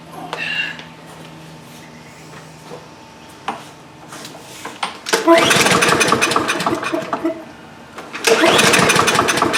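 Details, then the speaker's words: Two-year-old DeWalt mower with Briggs & Stratton engine, after freeing the stuck choke plate: pull-start bursts turn it over but it never catches; fuel starvation suspected. "Well, even with the choke plate closed as it should be, it's still not starting."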